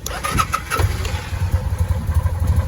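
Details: 2005 Kawasaki Vulcan VN800 jump-started from a car's jumper cables straight to a leaking battery, in neutral after about 100 seconds of charging: brief crank, fires straight away, settles into a lumpy but steady twin idle; normal start.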